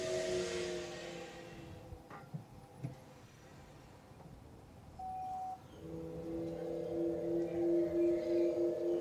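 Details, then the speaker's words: MG ZS EV pedestrian alert sounder heard from a tripod microphone set at sounder height as the car approaches and pulls up; a soft steady hum of two or three held tones swells as it draws near. The sounder is working. "so I'll shut up now if you listen very very carefully you will hear it the sound from quite a way off"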